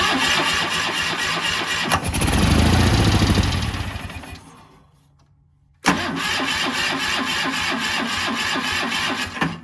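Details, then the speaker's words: Cub Cadet 1430 garden tractor sitting abandoned for years, carb fed by soft line from a gas can with fresh filter, throttle down, choke open: two bursts of even cranking, never fires; the line wasn't even in the fuel. "oh it turns out it wasn't even in the fuel so uh that was probably our problem"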